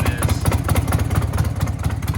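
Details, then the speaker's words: Harley-Davidson Sportster, very worn, possibly a flood bike with thin, bad primary fluid, super loud exhaust: lumpy V-twin idle with sharp clacking ticks each firing pulse; engine clatter at idle, cause not found. "But, you know, with the super loud exhaust, at least you hear it less. Oh yeah, she's clapped out, baby."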